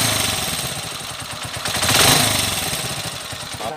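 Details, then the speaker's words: TMX155 motorcycle engine converted to 5-speed, recording before repair. A fast, even clatter of light ticks over the idle: valve train tapping from a worn cam follower and pushrod. It ran quiet after both were replaced. "ayan so narinig niyo na yung andar niya kanina mga kaabo malagitik o naman yung after Napalitan na natin ngang follower push Rod yan brad"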